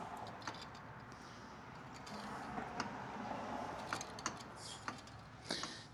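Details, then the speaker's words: Second-gen Dodge Ram with 5.9 Cummins on a lift, front tires off: quiet, uneven single clicks about once a second as the hub is turned by hand, with something dragging inside the rotor; worn, rusty front axle universal joint. "That little something dragging on the inside of that rotor. That clicking you hear is that U-jint."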